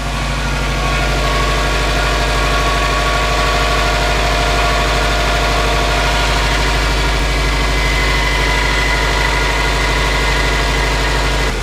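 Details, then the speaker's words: Subaru WRX at test start-up after maintenance: steady idle with a faint irregular ticking chatter over the engine note besides a belt squeak; owner suspects a pulley, source unconfirmed. "besides the belt squeak there's another little noise that I need to figure out where it's coming from there it is again"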